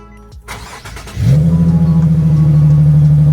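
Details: Car started after its old battery was recharged and reinstalled: brief cranking, catches cleanly at about one second, settles into an even steady idle; healthy start, battery appears good.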